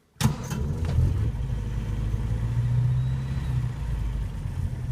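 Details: 1954 Wolseley 4/44 four-cylinder: starter catches at once and settles straight into a steady, even low idle with no misses; healthy start.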